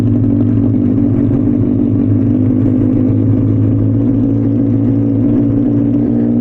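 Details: Benelli 600i motorcycle at cold start in neutral, idling after an air leak was fixed: deep, steady, even exhaust note with a constant low rumble and no ticks or puffing. Sounds healthy and sealed; normal cold idle.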